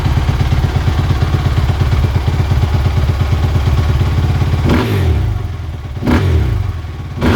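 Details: 2017 Suzuki RM-Z450 motocross bike after fitting new grips, brake lever and handguards: steady thumping idle then three quick throttle blips rising and dropping back cleanly, no hanging throttle; normal idle and revs.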